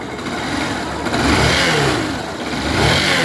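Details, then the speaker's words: Yamaha Fazer 150 motorcycle, revved at standstill. A turbine-like whine rises and falls with the revs; the cause is a burnt stator, not internal engine damage, confirmed because the noise stops when the stator is disconnected. "problema dessa moto aqui tá no estator queimado aí ela dá um barulho aqui parecendo uma turbina"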